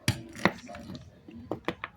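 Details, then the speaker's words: Renault Duster front suspension, sway bar link (bieleta) rocked by hand; sharp hollow knocks from play because the surrounding rubber bushing is worn, so the stabilizer link is worn. "gente de perto acho que vocês est escutando barulho né Isso é para fixo gente ó essa daqui mesmo o como é se diz a borracha aqui que envolve aqui já se desgastou"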